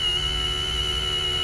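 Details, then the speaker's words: Boat hydraulic pump after repeatedly pushing trapped air bubbles out: even, steady hum with constant high whine holding pitch, no surging or chatter; now runs smoothly as it should. "and you see it's a lot more smooth it actually sound sounds like it's supposed to"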